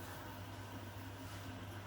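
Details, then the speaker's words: Newly installed Bosch dishwasher starting its first wash: a steady low hum with soft water swishing, even and free of knocks or grinding; the wash cycle starts normally. "That doesn't sound too bad, does it? Does that sound bad?"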